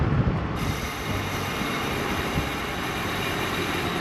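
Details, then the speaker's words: Honda lifted with both wheels in the air on wheel skates: constant rough grinding with a thin high squeal as the wheel turns; the dust cover is not rubbing, and the cause is not yet found. "so what we're going to do we're going to lift it up put the wheel Swift tires underneath it so we've got both wheels in the air and we're going to search for the grinding noise"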